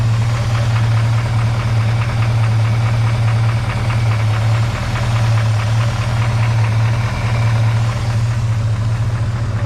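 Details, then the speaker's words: 1946 Chevy pickup with an unidentified 350 small block, believed stock with no aftermarket cam, during a test run: smooth, deep idle with a light metallic rattle of unknown source on top. "it goes and it other than that rattle don't know what it is it actually is kind of kind of quite smooth at idle and stuff like that it's um yeah it's just got that weird rattle"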